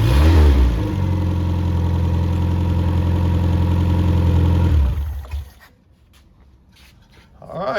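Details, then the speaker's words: Freshly rebuilt MG Midget/Triumph Spitfire 1500 engine FP42270UE, -5 degree day: balanced crank, new bearings, 270 cam, flat-top pistons, compression 175-185; smooth, deep, even idle about five seconds, then shut off, no knocks; normal. "so it's just like a light new engine and uh it runs like it and so I'm going to fire it up here in a minute"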